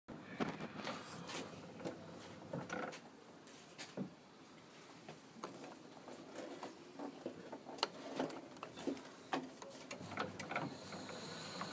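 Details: Vaillant Ecotec boiler, variable-speed Wilo circulation pump: irregular sharp knocks and rattles over a quiet running hum, traced to the worn pump; replacement means fitting a Grundfos pump and its hydraulic block.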